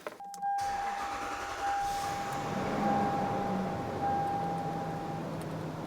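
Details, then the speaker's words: Lexus LS400 with 110,000 miles, after replacing the timing belt and water pump: quick start, then a settled, even idle with a faint steady whir from the air injection pump; no misfires, odd noises or shaking. "so far so good so yeah there you can probably hear the air injection pump that we covered in the previous video but everything else cheaks out fine our coolant is going down a little bit but we got no misfires no funny noises engine isn't shaking"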